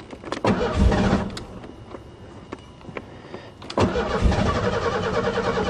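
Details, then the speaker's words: Car cranks, catches briefly, dies, then catches again rough and uneven, even with no throttle and then foot to the floor; it ran in winter. Owner suspected intermittent spark, but it was not the coil. "Creek Creek doing the same thing starting and dying what the hell"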